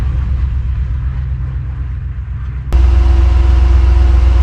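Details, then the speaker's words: 1993 Chevrolet K3500 7.4L 454 TBI after replacing a bad starter motor: deep, even brisk crank, then the engine catches with a steadier, louder note. New starter has more pep. Normal cranking. "for all right that starter sounds good you can tell it has a little more pep than last one a little quicker"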